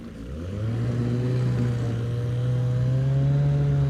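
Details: Outboard on an abandoned jon boat, sat over winter and unknown if it ran, first start attempt in water: steady, even two-stroke buzz climbing slightly with throttle, no misses or stumbles; runs clean, better than expected.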